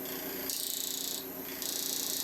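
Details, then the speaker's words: Woodturning a banana bowl on the lathe, cutting near the heart: over the high cutting hiss a fast steady tick, about twenty a second, keeping time with the spin, from a loose, flapping section of the heart. "the heart. That's the loose, flappy bit on the heart. Flappy bit."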